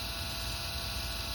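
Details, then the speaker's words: MTH RailKing N&W J 4-6-4 model locomotive smoke unit on a DC power pack, after smoke motor shaft lubrication, bridge rectifier bypass and new batting: faint, steady, even hum, no whine or rattle; smoke fan running smoothly. "okay you can hear the fan running and you can start to see the smoke coming out of the uh the"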